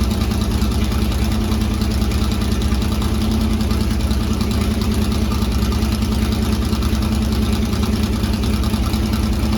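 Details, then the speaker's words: C3 Corvette V8, cold first start with newly installed open side-pipe headers; very loud, raspy, fast steady idle. It idles high only when cold, and the owner suspects the choke. "It is open headers, but the car is also idling high still."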